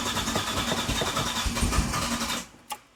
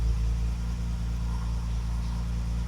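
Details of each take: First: Classic car just fitted with the correct ignition coil replacing a wrong one: runs unevenly, cuts out, cranks and catches again into slightly lumpy idle; still doesn't like starting, could be several things, timing unverified; hard starting and rough running. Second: Classic car after new ignition (correct coil, new contact breakers and condenser, original HT leads): steady smooth low hum, even beat, no misses, idling and accelerating properly, best it has ever run; normal idle.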